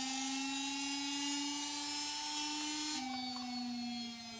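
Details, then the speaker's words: Sharp front-loading washing machine that won't spin and jumps to end light: motor bench-tested wired directly to 220 V, smooth steady hum-whine that holds pitch then steps slightly lower; motor spins freely, normal. "Itu kelihatan caranya seperti ini langsung saja kita tes Itu kelihatan dinamonya ini bisa berputar"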